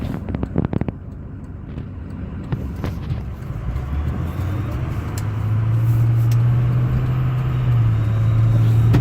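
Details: 2005 Ford F350 6.0 Powerstroke diesel running: low steady droning whine growing louder, more pronounced after intercooler boots, fuel pressure regulator, glow plugs, harnesses and filters were replaced; cause unknown.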